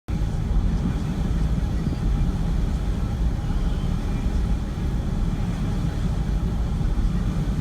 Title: Rough idle 91 camaro z28